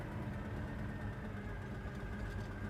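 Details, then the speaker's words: 1967 Chevrolet Chevelle SS big block V8 idling after test drive with foot off throttle, about 170-180°F, gauge under half; deep, even rumble with steady beat, no knocks or misses, idle real nice. "So, idling, my foot's not on the throttle. Idle's real nice. Our temp's not even half yet."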